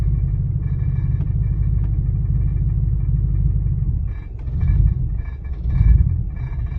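Deep uneven idle rumble with loping beats and dips in rhythm; engine misses irregularly, rough idle, cause not pinned down.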